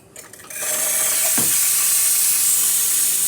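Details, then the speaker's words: Expobar espresso machine after a completed full service and tune-up, steam wand test: nice strong, steady high hiss building quickly and holding evenly; healthy steam pressure, normal steam wand output. "Nice strong steam. Get some water. We'll listen for the refill."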